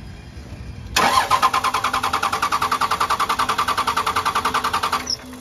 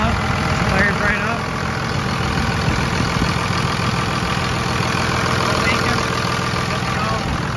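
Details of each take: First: 2nd-gen Cummins diesel after a FASS lift pump filter change, injector lines cracked to bleed: four seconds of even cranking at about 3.5 beats a second with no firing, due to air in the fuel lines. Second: 2nd-gen Cummins diesel after a FASS lift pump filter change and injector line bleeding: settles into a steady, even idle with no stumbling, misses or surging; all air purged, no dash lights.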